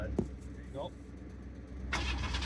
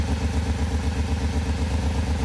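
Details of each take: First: Mid-1990s Pontiac Firebird S with a misfire, during a clear-flood crank: starter turns the engine evenly about four beats a second with no lagging stroke. Compression judged fine; misfire suspected to be fuel or coil/pin related. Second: Mid-1990s Pontiac Firebird (S, about 1994–95) idling with an uneven, lumpy beat and a repeating stumble from a dead cylinder. A dead miss remains after fixing the coil connector pins; suspected spark or fuel cause, coils next checked.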